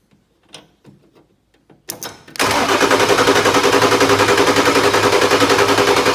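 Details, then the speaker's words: 1996 Ford F350 7.3 diesel, not started in years: steady starter cranking at about three and a half turns a second, never catches. Owner suspects air in the fuel from the tank, though fuel is now arriving. "keep getting air of the fuel because i think that tank okay all right let's try to roll hear that bunch of air but we're getting fuel now"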